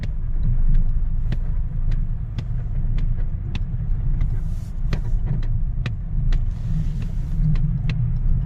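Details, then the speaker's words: Skoda Octavia A5 front-left squeak, like rubber, chirping about twice a second when throttle load changes, only with steering 10–15° right, none straight or left; service and lift found nothing. "вопрос Octavia А5 посторонний звук при изменении знака нагрузки То есть когда газ немножко пускаешь набираешь смотрели в сервисе ничего не находят как будто резиновый скрип"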